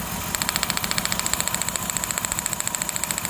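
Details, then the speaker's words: 2006 Ford Taurus 3.0L V6 at idle: a steady, uneven beat with ticking three to four times a second, cylinder 5 dead (P0305, P0316); that spark plug was oil-fouled, and a power balance test confirmed the dead cylinder. "they said it had a misfire at a p0305 came in here I did clear flood like that sounded good so I started it up and you can hear the Miss"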